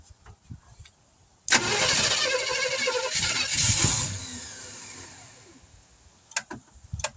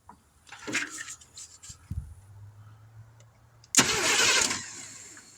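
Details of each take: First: 1971 Chevrolet C10 after sitting for decades, outdoors in cold weather, replacement distributor roughly set, a little fuel poured in, no fuel pump: each crank catches with a short burst of firing, then dies within seconds. Owner guesses not enough fuel. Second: 1971 Chevrolet C10 engine after sitting for decades, battery and remote starter switch wired to the suspected starter solenoid, ground clipped to the exhaust, no distributor fitted: a few clicks, then about a second of steady, even cranking with no binding. The engine turns over freely.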